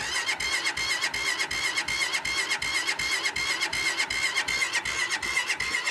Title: Cold start❌ won't start✔️